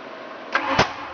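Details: 1988 Ford Thunderbird 5.0 V8 conversion, no start: two quick sharp pops a quarter second apart while cranking on starting fluid, no sustained running; cause unknown.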